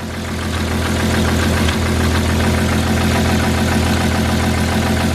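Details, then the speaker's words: Cheap auction-bought Porsche Cayenne at idle: light regular tick three to four per second from one spot up top, heard and felt with ear on it; rest of engine sounds sweet; owner hopes cleaning the part fixes it, not confirmed. "So, you can hear the noise. I think I don't know if it'll pick up on camera. And it's here. So, I put my ear to it. I can hear it directly in there. And I can feel it as well."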